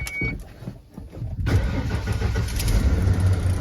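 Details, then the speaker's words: 1994 Ford F250 with new keys starts promptly after a brief quiet moment, catching cleanly and settling into a steady low rumble; now starts every time, a healthy start. "Me starts up every time now with the nice new keys."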